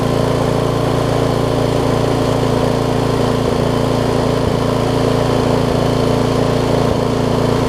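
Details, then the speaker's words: Craftsman rear-tine tiller, 5 hp Briggs, stored for years, after cleaning, carb diaphragm replacement and a small screw adjustment: steady, even putter with no surging or misses, running smoothly. "so I took it I just adjusted the screw out there a little bit listen to that thing run now things are amazing"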